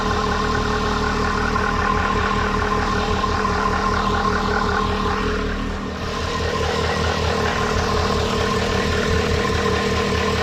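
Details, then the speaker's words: MGF 1.8 K-series engine after replacing the exhaust manifold gasket with a multi-layer steel gasket: steady, even idle with a smooth low rumble; the puffing from the exhaust side is gone. "I think now we really need to give the engine just a very quick test run to see if our puffing noise has now gone. Sounds so much better."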